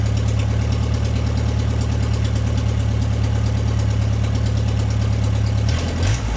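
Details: MG pulled from the woods, first start in 22 years; it starts without choke. Smooth, even idle with a steady low drone and no misses, then a short blip. Normal idle.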